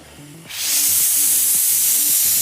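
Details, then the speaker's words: Laurastar steam generator iron, tap water heated in the boiler and reheated as it leaves the iron: after half a second a strong, even hiss starts and holds steady with no sputter; healthy dry steam delivery. "The water goes into my boiler and heats to a very hot temperature, creating a very fine steam."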